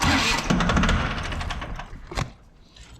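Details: John Deere 750 tractor that sat a while, bad PTO/neutral safety switch bypassed by touching its wires together: starter cranks briskly for about two seconds, then stops without the engine catching.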